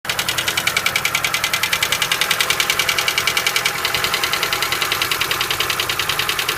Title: Стук гидрокомпенсаторов